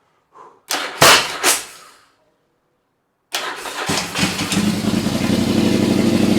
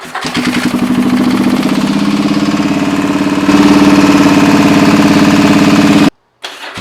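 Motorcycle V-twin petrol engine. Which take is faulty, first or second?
second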